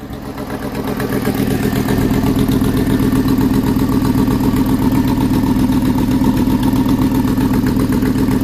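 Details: Ford F-150 5.4 Triton 3V V8 at idle before repair: steady sharp ticking puff in time with the firing, about four a second; exhaust manifold leaking due to broken studs, fixed by replacing the manifold.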